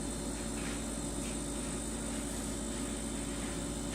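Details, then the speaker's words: LG LFXS24663S refrigerator after shimming the condenser drip pan and fan shroud: low, steady hum with faint tones and no buzz or rattle; pushing on the pan or shroud produces no resonance, so the noise is fixed. "I think this is eliminated our problem I could push on the pan not able to find any resonance I can push on the shroud"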